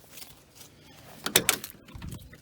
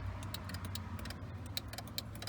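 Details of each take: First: 2005 Mercedes G500 G-wagon power headrest, previously intermittent with the relay clicking but no movement, after contacts were treated with dielectric grease. After handling noise, the small motor whirs in short even bursts with a steady chime: headrest now working normally. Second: 2005 Mercedes G500 G-wagon power headrest: sharp relay clicks each time the button is pressed, but the headrest doesn't move and there's no motor hum. Owner suspects a stuck, rarely used headrest unit needing lubrication, or a stuck motor from carbon dust or a bad connection.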